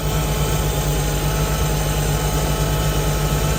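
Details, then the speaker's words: Jeep whose head gasket and pushrods were redone in 2019, at idle: a fast, light ticking about three times a second over the low rumble; owner suspects a loose rocker arm, with possible PCV or vacuum leaks. "I redid the head gasket and uh the push rods in 2019 so I've got a feeling that maybe one of those rocker arms are just a little bit loose"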